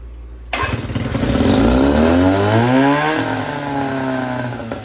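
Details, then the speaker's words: 1972 Johnson 6R-72D 6 hp two-stroke tiller outboard, carb primed with a gas/two-stroke oil mix by spray bottle: catches on the first pull, revs up with a rising buzzy note, then settles into a steady run; normal start. "I put a little bit of gas and two stroke oil mix from my tank in this bottle here and then sprayed it into the carb and ripped that pole handle and as you guys heard she fired right off"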